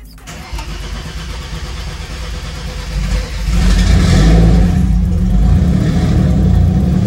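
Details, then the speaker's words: Mercedes W203 with turbocharged M104 engine, cold weather; previously hard starting and sputtering: brief crank, catches cleanly without touching gas pedal, settles into steady even idle; normal cold start. "i didn't even touch the gas pedal or anything so yeah pretty happy about that"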